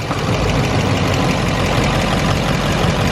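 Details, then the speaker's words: Duramax diesel at steady idle with a faint light tick riding on the low rumble; unplugging each injector harness one at a time did not stop the tick, so the injectors were ruled out and the source remains unconfirmed. "we're going to go ahead and do every single injector and see if that ticking noise will go away if I was to pull that injector cuz that's going to be the problem right there"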